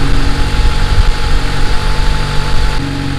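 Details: Turbo Honda Accord after reconnecting a line that had caused excess pressure, rich idle and poor idling: fast, steady idle well above normal, smooth with no misses, note shifting as idle is brought down.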